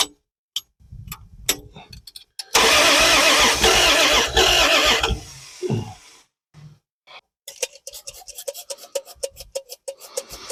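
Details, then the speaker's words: Car off the road for 40 years with a reinstalled distributor, timing possibly a tooth off: cranks about two seconds without a firing stroke because the ignition was not hooked up. "it helps if you hook up the ignition"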